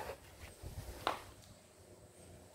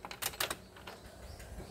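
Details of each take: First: Isuzu 4HJ1 common-rail diesel with engine relay deliberately removed: starter spins the engine steadily for about two seconds with no firing; cranks but won't start because the relay is out. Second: Isuzu 4HJ1 common-rail diesel, relay refitted, at key-on: a few light quick ticks from the throttle body then quiet, showing it cycles normally.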